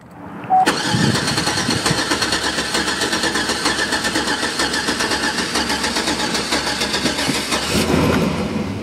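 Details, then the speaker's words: Older Chevy Tahoe V8 with a rich smell, misfire and long crank time, cranked about seven seconds in clear-flood mode without starting. The starter cadence is uneven and lumpy, pointing to low compression; relative compression test to follow. "Did you hear it? I heard it. This is a compression issue."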